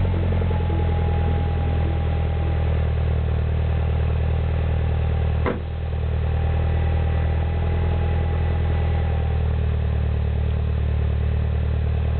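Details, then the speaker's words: 2008 Mini Cooper Clubman S, turbo 1.6 petrol, 6-speed, stainless MagnaFlow cat-back exhaust, cold start after a week sitting: deep, steady low exhaust burble at even idle, smooth, not raspy, no ticks or misses; normal cold start idle. "so it's kind of got that low burble to it I like it it sounds pretty cool"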